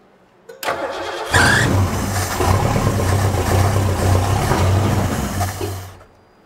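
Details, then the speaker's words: Abandoned 1972 Ford Galaxie 500 station wagon, 400 V8 parked since 1998, exhaust pipe cut off: short crank, then loud uneven roar about four seconds before dying as squirted fuel burns off; some smoke. "that thing is loud yeah you have plastic fly everywhere towards that camera"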